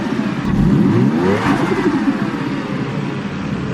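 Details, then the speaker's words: Stock 1JZ Toyota Crown JZS171 with the blue sensor plug removed: revved hard to about 3,000 rpm then throttle released, and a quick fluttering chatter (compressor surge, "sututu") rides over the falling engine note. "You know, I found out about, you know, you gotta rev the car hard to 3,000 RPM and then let go, and then that gives it a nice fat sututu."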